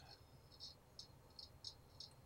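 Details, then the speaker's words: Ernie Ball Music Man StingRay bass plugged into an amp, knobs turned: faint hiss with irregular sharp crackles about twice a second, from scratchy potentiometers the customer reported as crackly. "the customer had said that the actual potential potential emitters of the bass we're quite crackly so I'm going to see if we can hear that right now"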